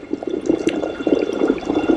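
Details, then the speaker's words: Blue Sky Boatworks Angler 360 boat with Torqeedo electric motor on test: irregular gurgling, churning bursts over faint high motor whine as it gains speed; some propeller cavitation, rigging still needs tweaking. "Bobby you can hear I get up in speed there's a little bit of cavitation so"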